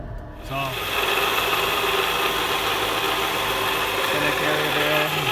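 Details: 2014 Honda CR-V spinning on a lift, heard under the vehicle: steady scratchy grinding like a wheel bearing but with a scratchy edge. A worn drive shaft center carrier bearing, noisy at about 40–60 mph when driven.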